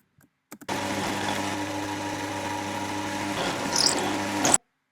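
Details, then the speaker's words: Carbide end mill, said to be nearly worn out: a harsh, buzzing ring of stacked steady tones as the cutter chatters. "Okay. You can hear it chatter. But he dodged a bullet."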